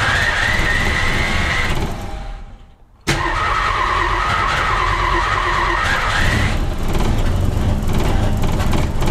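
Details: 1961 Ford Falcon, muffler rusted off and exhaust manifold barely hanging onto cylinder head, before repair: loud raw raspy running roar with harsh blatty edge; exhaust manifold leak.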